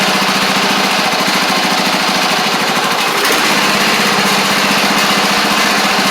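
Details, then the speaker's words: Craftsman DYT4000 riding mower engine running after sitting about 2.5 years, started just by adding gas with choke stuck then freed; steady buzzy small-engine drone, even fast rhythm, no knocks; sounds good though little power; normal running. "like I said very very surprised that the thing kicked over like it did by just putting gas in it but we'll take it um sounds good as well"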